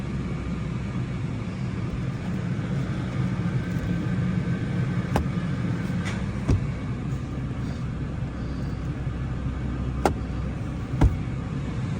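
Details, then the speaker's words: 1995 Lincoln Continental, 4.6-liter overhead-cam engine, estate purchase, in shop at 57°F: low steady idle with even rumble, no knocks or misses; runs well. "that little engine really really runs good that's a overhead cam 4.6"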